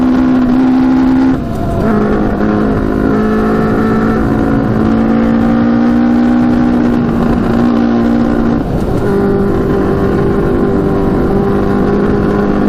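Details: Custom Yamaha Banshee with Suzuki Katana 600cc engine after Stage 4 rejet, first test ride: note hangs and sags under load then steps up; runs worse than before.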